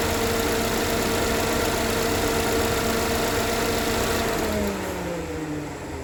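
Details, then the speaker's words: 2013 GMC Terrain after engine rebuild, first start-up following a backfire; steady even idle without tapping or knock, then shuts off; no check engine light, timing appears correct, oil moving; normal. "the first start up it sounds fine no knocking timing no check engine light so the timing seem to be on oil's moving"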